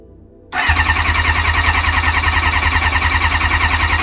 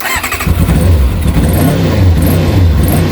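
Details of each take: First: Kawasaki ZX-6R after 10 years sitting, tap on reserve, only 5 litres in the tank, easy start tried. The starter spins at about 3.5 beats a second for four seconds without catching; the fuel filter is empty, so fuel is not getting through. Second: Kawasaki ZX-6R after 10 years idle, carbs cleaned, warming, restarting after tickover slowed and stalled. Short crank, catches at once, settles into even low throbbing idle; starts easily; owner thinks carb idle adjuster may need speeding up slightly.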